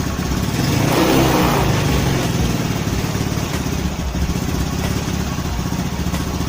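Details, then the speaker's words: Honda Spacy/Beat carburettor scooter idling before repair; idle drifts up and down, unstable, slow to return, hunting from shifted carburettor vacuum diaphragm. "jadi dia ini ada masalah gasnya enggak stabil ataupun langsamnya ya jadi coba kita Hidupin dulu"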